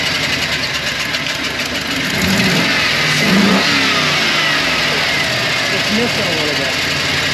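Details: GM aluminum-head engine started after broken intake manifold stud extraction and injector/fuel line reconnection: catches and runs with a slightly uneven, stumbling beat; mild misfire.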